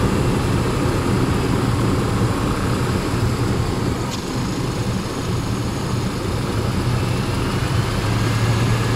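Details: Range Rover P38 4.6 V8 petrol engine with a deep, dull knock pulsing about three beats a second, plus power loss, misfire and oil turning charcoal within months; owner suspects big end bearings or piston ring failure, unconfirmed.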